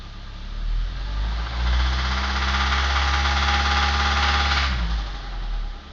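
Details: Suzuki Grand Vitara engine with worn engine mounts that led to a punctured oil pan and oil starvation; rhythmic knocking three to four times a second rising and falling with revs, teardown found spun connecting rod bearings.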